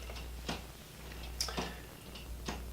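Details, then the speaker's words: Wooden geared clock, homemade, running in a quiet room: crisp, even ticks about once a second with no drag or stumble; keeps within about 10 seconds a day, not wound daily; normal ticking. "works great it keeps good time although I do not wind this every day it's actually not used that much just because I don't walk past it but when it is running it'll keep within about 10 seconds a day which is pretty good concerns a wooden clock"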